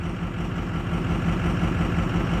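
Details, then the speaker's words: 2006 Ford F250 Super Duty 6.0 Power Stroke diesel idling in drive then reverse, not fully warm; uneven lumpy pulse about six beats a second, running rough; cause not pinned down. "let's put it in drive this time running rough let's go back to reverse boy that's running rough"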